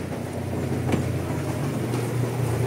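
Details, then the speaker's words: Mitsubishi Mirage hatchback, cold three-cylinder idle, about 95,000 on the clock. Steady low hum with a light buzzy plastic rattle on top; owner suspects a broken lock on the airbox or engine cover vibrating, rather than the engine support. "para sa airbox niya or sa engine cover siguro sa sobrang sobrang vibrate niya parang naputol na siguro yung lock"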